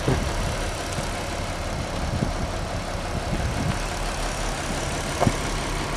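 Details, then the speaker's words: Audi TT Mk1 3.2 V6 at idle during a timing chain check: steady, even idle with no rattle or tapping from the front of the engine, described as really sweet and smooth; timing chains sound healthy. "हाँ यह वास्तव में मीठा लगता है, वास्तव में चिकना"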